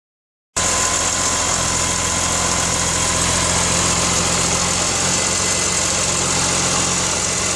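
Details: BMW S54 engine idling loudly with busy uneven metallic grinding rattle, steady throughout; source not pinned down.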